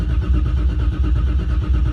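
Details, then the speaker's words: Car's first start of the season: dry cranking with fuel pumps off until about 20 psi oil pressure builds; steady low churning of the starter turning the engine over without firing. "I just crank it a few times until I get about 20 pounds of oil pressure before I actually start my fuel pump."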